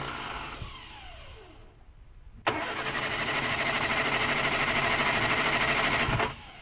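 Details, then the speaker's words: 1962 Morris Minor with its old ignition coil reconnected, ignition on and extra choke: even starter whirr at roughly three turns a second for four seconds with no firing at all; crank, no start from a dead ignition coil. "did try a minute ago a little bit more choke just in case no that don't want to know does it so that old coil is dead"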